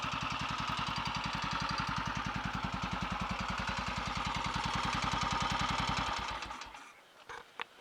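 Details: Royal Enfield Redditch 350 Bullet single, first start after a full engine rebuild including a worn big end: a single thump at about 210 beats a minute with a light sharp tap on each beat. Ignition timing was slightly over-advanced; resetting it by strobe quietened the tap.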